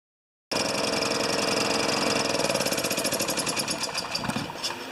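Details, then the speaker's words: Older Honda EX1000 generator that only runs with choke on, fuel possibly stale premium from last year: engine catches and runs but turns uneven and surging after a couple of seconds; dirty fuel or dirty carburetor suspected. "it's either dirty fuel or a dirty carburetor so I'm just going to take off this front housing"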